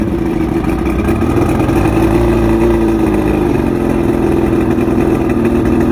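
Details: Outboard, fully rebuilt with all-new electronics after three weeks chasing rough idle, surging and misfires: steady, even running with a clean smooth drone holding pitch, no misses or surging; healthy.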